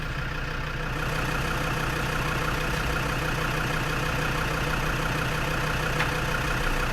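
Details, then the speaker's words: Lansing Bagnall Model A tug with a Perkins P4 diesel, starter boosted from a running Land Rover after glow heat: heavy, sluggish cranking at about three beats a second that never catches. Slow cranking, no start. "that's give me a little bit more juice but it's not turning as fast as I'd like it to so I'm not entirely confident this is going to work"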